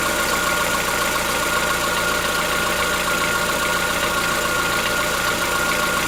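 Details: Chevrolet Onix 1.4 petrol, 2014-15, cold-start idle: light, fairly quick tick, about two or three a second, over a busy, bright idle, lasting about 10 minutes. Owner suspects a tappet knock inside the engine, not injectors; dealers say it is normal.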